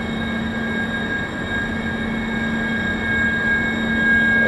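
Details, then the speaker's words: Wind tunnel test at about 60 km/h continuous flow on a balustrade: several steady high pure tones over rushing air, shifting as flow moves; aerodynamic whistling from air through the bars, little vibration, like a musical instrument. "gets quite ear piercing after a little while you imagine that would be very irritating table in your balcony your apartment block you'll be very irritating thing to sleep next to it doesn't seem to be vibrating a lot to be a erodynamic effect of the air through here a bit like a musical instrument that's creating that"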